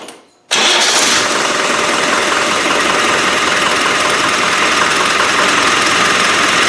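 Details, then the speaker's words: Land Rover 300Tdi diesel after rebuild, new OEM mechanical lift pump refitted, battery low: catches after a short silence and runs with a slightly uneven, fluttering beat instead of a clean tick; owner says definitely a fuel pump problem. "i'll have to fasten that air cleaner down because it's getting on me nerves it's definitely a fuel pump problem"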